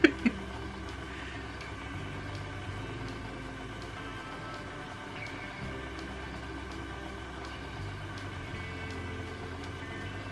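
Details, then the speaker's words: New Electric Eel Wheel 6.0 electric spinning wheel on first run: low steady motor hum with a faint rhythmic tick, fairly quiet though not as quiet as a Hansen; some audible brake-band rubbing; running normally. "you kidding it's fairly quiet would you say it's as quiet as the handset not quite"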